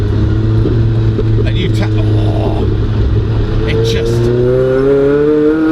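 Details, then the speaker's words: Rusty Toyota Levin with TRD short shifter, driven on country lanes at about 3,000 rpm on light throttle: loud droning exhaust, deep steady tone rising with throttle. "You sort of semi-forget how loud it is. You go, oh, it's quite loud."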